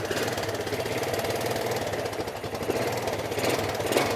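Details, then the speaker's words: Replacement motor taken from a beater bike, at idle: a hard, rapid knocking runs steadily through the idle above the engine drone. The motor will be pulled to find the cause. Engine knock. "that's not the original motor I just threw that motor in off a bit of a beater bike so there's a knock in there I got to pull it out and I'll work all that out"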